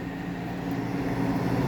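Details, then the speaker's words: Window air conditioner installed after the central AC capacitor failed, running on high cool and high fan, room at about 76°F. An even low hum and steady fan rush with no clatter; the compressor is barely audible. Quiet, normal running. "Can't even hear the compressor. These units are just too These are just so quiet."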